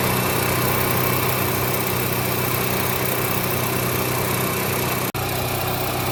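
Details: Onan 4000 KY Series portable petrol generator running steady and smooth with an even hum, no surging, after new spark plug, oil, fuel filter and fuel pump, cleaned carburetor, adjusted choke coil and altitude screw turned richer.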